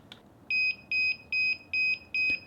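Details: DJI Mavic Air controller beeping nonstop at power-on, steady high beeps about 2.4 a second, from decalibrated joysticks; fixed by recalibrating joysticks in DJI GO app settings.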